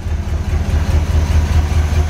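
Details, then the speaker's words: Barn-find 1970 Corvette V8 first started after sitting 10 years, fed from a gas can, oil pressure near 70 psi, no smoke: loping idle with occasional dropped beat; idle misfire, cause not confirmed. "definitely missin though sounds good it isn't smoking check for leaks everything kosher under there oh yeah it sounds alright for having a miss"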